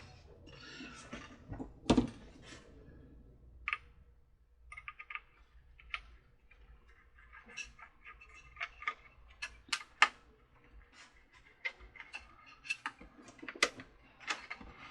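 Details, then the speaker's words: Lemax Day of the Dead animated decoration with a small 300CA motor: fast irregular light ticks and clicks over a faint motor hum from a warped plastic drive pulley smacking and rubbing the housing, quieter after repair. "that loud clicking sound that was earlier it's much quieter now is the pulley is warped and the pulley was smacking the bottom and rubbing it"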